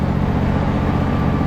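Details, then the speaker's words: Husqvarna hydrostatic riding mower after replacing a noisy idler pulley with bad bearings, driving: smooth, even engine drone with no whine, grinding or rattle; transmission now quiet; normal drive. "engine runs super smooth though trans is nice and quiet now"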